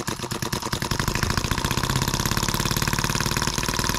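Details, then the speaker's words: Scale model Atkinson (Otto) cycle engine sold as M14, labelled EM1, first start right out of the box after oiling, fueling and correcting instruction mistakes; starts by hand within three minutes, rapid even firing pulses settling to a steady beat, no misses or knocks; normal running. "three minutes and it starts by hand how impressive"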